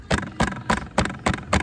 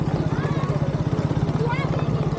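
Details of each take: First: KTM RC200: six sharp tinny rattles, about three a second, as the chain guard is tapped; guard is loose because its rubber mount falls off with use, so it hits the tyre hugger rod. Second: KTM RC200 riding on the road after a homemade fix for the typical annoying noise: even engine drone with a steady beat and no rattle or buzz; the noise is gone.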